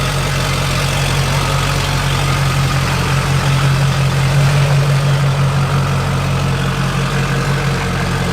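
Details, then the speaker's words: Junkyard LB7 Duramax diesel, 160K miles, first start in a bare frame-and-cab truck: steady even low rumble at idle with no knocks or misses; sounds like a good, healthy motor. "Sounds good. Sounds like a good, healthy motor."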